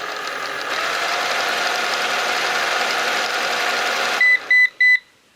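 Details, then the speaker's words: Eufy RoboVac 11 robot vacuum, several years old, new battery fitted: a steady motor whir cuts off, then four short high beeps with a solid red light, the error code for a stuck roller brush, which is not spinning. "Red indicator, steady on, 4 beeps, rolling brush is stuck, which it is."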